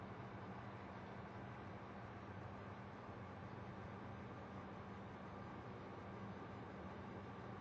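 Quiet, constant low buzz with a steady hum underneath that never changes; an electrical or fan buzz whose source is unclear.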